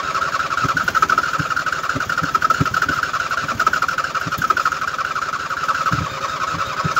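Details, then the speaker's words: 2007 Husqvarna YTH2454 riding mower, just washed and soaked, deck belt off: steady starter whir with slow even compression chugs, about three a second, no firing, won't start; starter warm from repeated cranking; owner suspects wetness, unconfirmed. "yeah she's not firing now yeah i don't want to burn the starter up"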